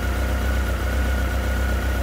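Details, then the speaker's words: Honda CB1300 motorcycle just after full rebuild, first start: smooth, deep, crisp, even tickover with no misses, knocks or rattles and no visible leaks; normal idle. "Looks good, sounds good, running good. And as I say, nice, crisp, even tick over."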